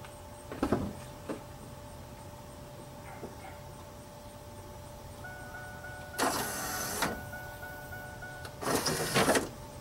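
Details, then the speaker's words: 1997 Pontiac Firebird pop-up headlight motor after repair kit install: two short, even electric whirs, no more grinding; the grinding had been caused by two missing teeth on the gear. "most notably is no more grinding sound sweet just two missing teeth on that gear caused that issue"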